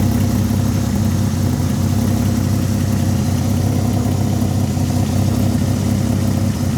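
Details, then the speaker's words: Peugeot 206 with swapped VR6 engine, restarted after replacing power-steering pump O-ring: steady even idle, smooth low hum, no misses or knocks; no leak seen, running cleanly. "Ça a l'air nickel, tu vois. Ça tourne vraiment nickel là. Plus ça va, plus ça tourne rond."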